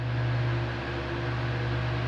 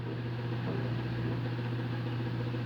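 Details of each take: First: A fan on 220 V runs at speed 1 with a steady, even low hum and no rattle or buzz. It had excessive noise at speeds 1 and 2, and a new capacitor fixed it. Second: Fan on 220 V mains making excessive noise at speeds 1 and 2 but running normally at speed 3; a loud, steady low buzzing hum from a defective run capacitor, fixed by replacing the capacitor.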